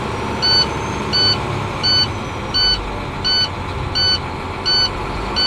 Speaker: All right, you cannot start the air leak test with the low air light and buzzer going off. All right, so that's a failure.